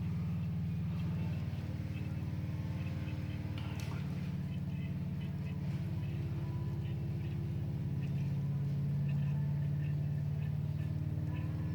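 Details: Triumph Stag V8 after two-year engine rebuild, plugs in, fuel pump working: steady low churning beat, three to four per second, with no firing while fuel slowly fills the carb float chambers before first start.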